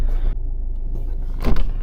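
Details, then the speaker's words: 2008 Peugeot 207 diesel, low mileage, pulled forward slowly: low rolling rumble with a couple of sharp metallic clunks; broken coil spring. "what the was that I think we've just had a broken spring yeah we've just broken spring"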